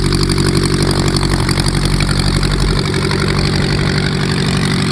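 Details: VW Type 1 air-cooled engine on its first run after new valve adjustment screws: steady, even, lumpy idle with a regular low beat, no knocks or misses; running healthy.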